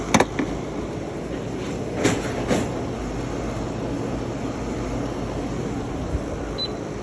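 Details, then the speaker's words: PTAC unit brought in for loud noises: heavy, uneven rumble with occasional thumps as the broken blower wheel bounces, displaced from the motor shaft; blower wheel to be replaced. "as you can see the glower wheel is bouncing so I can tell it's broken I think that's what's causing the noise"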